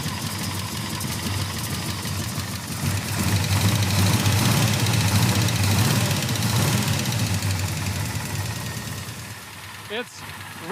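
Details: Cutlass V8 after swapping in a replacement distributor and retiming: strong, steady low rumble settling into an even idle with no misses or stumbles; engine running healthy.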